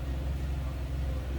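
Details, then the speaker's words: 1995 Chevrolet Camaro convertible, 3.4 V6 with automatic overdrive, heard from the rear: deep, even exhaust burble at idle with steady pulses and no miss or rattle; healthy. "Alright, slip around to the back so you can hear this run. Again, 3.4 underneath the hood, and it is paired up with an automatic with overdrive transmission."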